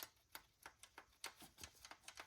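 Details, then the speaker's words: 1999 Honda CR-V B20 non-VTEC with multiple misfires, engine stopped: the rocker arm rocked by hand off the cam lobe gives light, sharp metallic clicks, showing normal valve lash free play. "that's how it should be when it's off lobe you see the cam lobe kind of looks like an egg when the peak of the egg or the lobe is not pressing down on the valve spring on The Rocker these should Rock they should be free floating that is your lash adjustment there"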